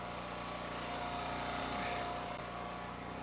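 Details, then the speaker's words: Eastonmade Ultra wood splitter splitting dry oak and sassafras: a thin, high squeak rides over the steady engine drone for a couple of seconds during the split, a dry spot the owner says needs grease. "there's the squeaking can you hear it we can i need to get some grease for that i know i know it next time i go to tractor supply it's on a"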